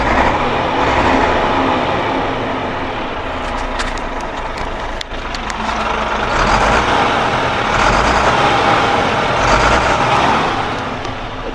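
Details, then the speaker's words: 2011 DAF diesel truck idling outdoors with an uneven stumbling beat, about three a second, as if one cylinder drops out; misfiring again, also did so in rain the day before; restart didn't help. "Ну і опять опять троїть. Вона вчора мені в дощ троїла."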